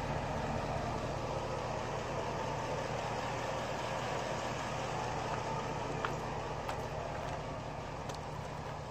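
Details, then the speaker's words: LS engine with top-end rebuild and Comp Cams 54-525-11 cam, Evolution hydraulic roller lifters after 38 hours, replacing loud 8957 retro-fit lifters: steady idle with only faint, normal lifter ticking. "and at this point the lifts are noise you have to listen hard for it but at least you can't hear it coming down the road a quarter mile"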